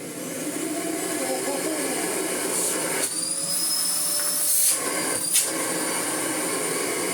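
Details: Restored Miele Blizzard CX1 vacuum, freshly rebuilt after washing: steady high motor whine with airflow hiss, no rattles or grinding, only brief handling bumps; running normally.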